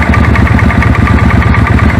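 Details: Suzuki Intruder V-twin idling: steady idle with a faint snapping crackle on the beat, arc tracking inside the plug tube from a long, cracked plug cap; moving the cap reduces it; new set of plugs planned.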